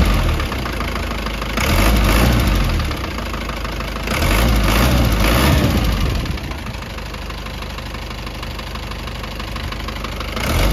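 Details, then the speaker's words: Isuzu 4BE1 diesel with a noisy engine, after injector replacement and rocker arm adjustment failed to cure it: idle with a heavy hammering knock roughly two to three a second, loudest in bursts; worn piston pin bushing knocking, pistons pulled, liner fine. "Ngayon tumataguktok mga kayab yung parang pag umaandar siya mga kayabe."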